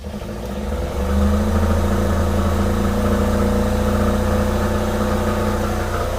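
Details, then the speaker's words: Diesel generator on a new Tiara 34 boat after its fuel/water separator was checked and fuel system primed, previously wouldn't stay running: steady even drone under load with AC on; now running good. "i started running longer than it did before all right the generator is running good"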